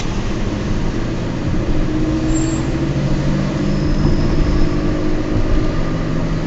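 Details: Peugeot 206 while driving: low, steady drone under heavy road and wind noise; owner attributes it to noisy worn wheel bearings, not confirmed.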